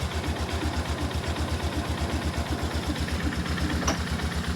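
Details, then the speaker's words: 2005-ish Polaris Sportsman 400 ATV, cold, in neutral, primary clutch reinstalled with CVT cover off: steady, even low thump about four beats a second with no knocks or slipping; normal idle. "Now, before I put this thing back together, I like to fire it up. Here we go. You can see it's all moving because we're in neutral."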